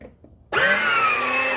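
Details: Replacement Peg Perego motor in a child's John Deere Gator ride-on (20V DeWalt battery), tested in reverse after the repair: the motor kicks in sharply and holds a smooth, even gear whine with no clicking or grinding, so it is healthy.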